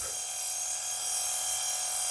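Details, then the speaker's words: Nail file drill with faulty speed-control transistor: thin, high-pitched steady whir with a faint rough edge from a dry motor bearing; owner will oil the bearing again. "one for two transistor that's faulty but you can hear this thing makes a noise is that bearing I'll just have to oil it again"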